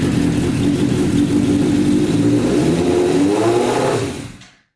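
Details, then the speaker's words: Custom Yamaha Banshee with 600cc sport bike engine swap, restarted on choke after fixing a carburetor leak, revs surging and hunting then sagging and dying; sounds like it ran out of gas. "Sounds like she was running out of gas here."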